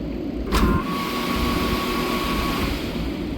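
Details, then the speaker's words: Rheem 10-ton rooftop AC unit that was not cooling, started manually at the contactor with a screwdriver to check operation: a sharp contactor clack, then a steady, even hum with a faint tone that settles quickly, working perfectly. "ahorita vamos a arrancarlo solo para ver el funcionamiento está trabajando perfectamente bien"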